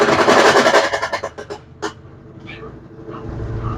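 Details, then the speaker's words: Brastemp BWK 13 washing machine, nearly new, during spin cycle: rapid heavy knocking three to four a second fading as the drum slows; loud banging from worn transmission with excess play and a wearing pulley. "Então esse é o barulho que ela tá fazendo ó vamos aguardar mais um tempo ela baixar a rotação Vamos então Esse é o barulho então é um barulho forte"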